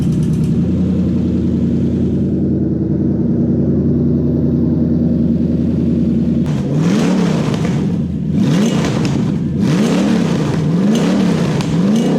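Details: Non-VVTi Toyota 1UZ V8 converted to Link ECU with coil-on-plug, standard throttle body: smooth even idle sitting a little fast, clean pitch rise and fall on throttle blips; runs fine, idle speed slightly high, adjustable.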